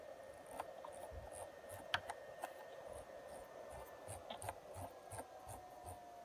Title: Behringer Deepmind 12 Whining Fan Noise